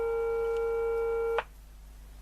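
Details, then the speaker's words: Regentone U353 three-valve radio with missing parts replaced, signal generator on the EF9 grid after warm-up: clean, steady mid-pitched tone comes through clearly then cuts off, showing the stages from that grid onward pass signal. "I put the uh sign generator on the grid of the ef9 okay and so going wait for it to warm up again now it's coming"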